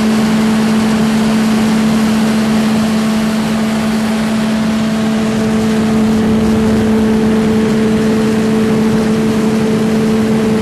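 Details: Reinco TM730 skid-mount straw blower with 4-cylinder gas engine, freshly serviced (oil change, tune-up, new battery): steady, even engine drone with a constant hum at fixed speed, no knocks or misses; normal running.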